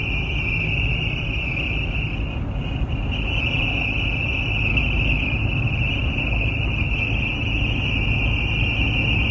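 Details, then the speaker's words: Car dashboard whistle starting around 45–50 mph, worst at 60–80 mph, over road and wind roar; owner suspects the air vent/intake; dashboard whistle at highway speed. "what's that sound from the dashboard it starts to sound up at about 45 50 mph and the worst sound is when it's uh about 60 to 80 mph"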